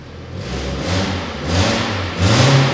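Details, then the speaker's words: Peugeot 206 GT limited numbered edition, 136 hp, weak battery: on start-up and on three revs the exhaust gives a raspy, hissy puffing over the drone. Owner suspects a big exhaust manifold leak where the four cylinder pipes join; engine otherwise runs strongly. "mais surtout ce que je veux te montrer c'est que quand tu démarres la caisse elle fait un petit peu un bruit de chevaux ou de Fiat 500"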